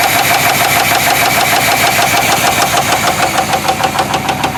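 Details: 1973 Chevrolet C10 Custom 10, 350 V8: sharp regular metallic tapping about three per second over idle, in step with the engine, intermittent; unplugging plug wires one by one did not change it, knock cause unknown.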